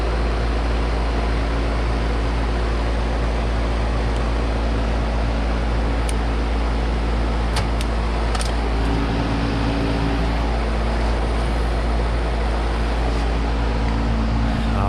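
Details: Carrier AC condenser during a no-cooling call, on a roughly 60–62°F day: strong, steady compressor hum under even fan whoosh, no buzzing or chattering; running normally, suction pressure maybe a little low.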